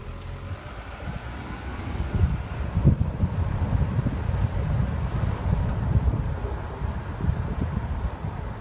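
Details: Low rolling rumble with a dull popping sound each time the brakes are pressed at low speed, despite new brakes, rotors and sway bars; source unknown.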